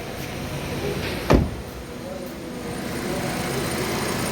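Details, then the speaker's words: Hyundai Elantra 2013 petrol engine at smooth, even idle after the ECU was replaced; coil no. 3 had not been firing, causing a misfire, and it is now running evenly with steady RPM, one brief thump from handling near the car. "ये 3 number coil था, ये काम नहीं कर रहा था, अभी अल्हम्दुलिल्लाह बिल्कुल बराबर है।"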